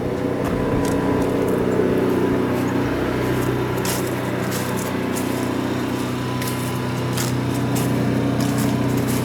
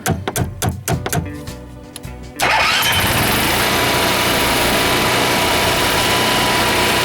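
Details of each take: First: Class C motorhome generator after fixing hard-starting, apparently by replacing an oil switch: steady, even drone at one pitch, no misses or surging; normal running. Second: Class C motorhome generator that takes many start attempts: sharp irregular taps and clicks, then it catches and runs steadily and loudly; starts only when the owner taps on the solenoid while pressing start, then may quit; sticking starter solenoid.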